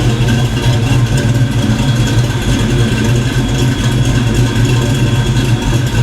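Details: Black Stang (Mustang) first fire with 24 lb injectors and 73 mm mass air meter; after shimming rockers, steady, even low idle rumble with no ticking or misses, not yet warmed up: normal idle.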